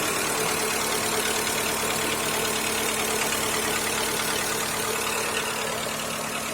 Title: Стук двигателя 1.4 Skoda Fabia 2., Ч.1